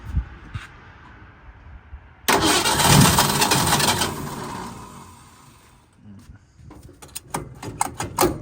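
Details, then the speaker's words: 1965 Ford Mustang project car, restart after the carburetor rebuild: brief crank, catches and settles to idle with a faint light tick; owner suspects a noisy lifter. "Just have a little tap going on. And hopefully we just have a lifter that's kind of fussing a little bit."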